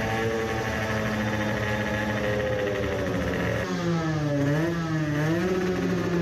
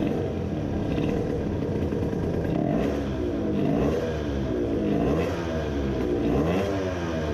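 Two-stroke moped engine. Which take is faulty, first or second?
second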